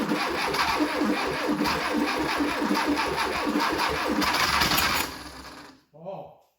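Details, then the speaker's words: 1972 Fiat 850 Sport Spider, off the road 22 years, started with a jump box and fuel poured down the carb: catches and chugs at about four beats a second for five seconds, then dies on priming fuel only. "Oh, did you hear that? Oh, we might have a runner. I think we put just the wrong amount of fuel down it, so she sounded pretty good."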